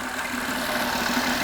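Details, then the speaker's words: 2008 Acura TL (Honda J-series V6), right after a power steering pump replacement and refill with fresh Honda fluid, cap loose: a steady whine over a smooth idle from air in the system. This is common and should fade as the air clears. "The system will probably be loud when you first start it up, and that's due to air"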